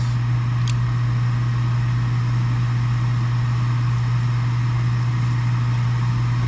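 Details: Gas furnace after replacing an extremely loud draft inducer motor: smooth, even low hum with no rattle or scrape, gas valve clicks may be audible; sounds much better, normal furnace running.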